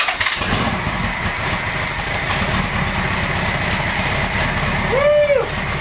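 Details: 1975 Honda GL1000 Goldwing after recleaning carb passages and jets: catches after a brief crank and settles into a steady, even idle with a smooth exhaust beat; running cleanly.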